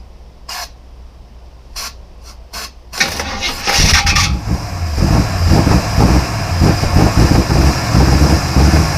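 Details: 1953 GMC pickup, about 50 psi oil pressure at idle: a few light clicks, then fires in around three seconds and settles into steady, even low idle; runs fine.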